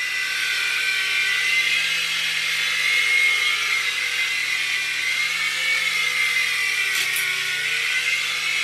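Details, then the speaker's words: U809 Air Attack toy helicopter after new LiPo and super-gluing slipping pinion gears onto motor shafts: high steady motor whine in flight, no surging or grinding; flies normally, though one motor later starts slipping and whining again. "wow success we've got a working helicopter I better put the rockets in it"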